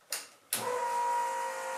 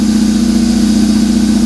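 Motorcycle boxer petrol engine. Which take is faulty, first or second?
first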